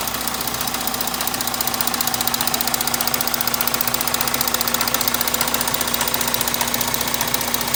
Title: Motorgeräusche 3.0 TDI ohne Reparatur